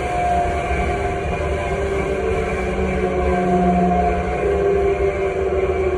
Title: Air3 Italmecc strange noise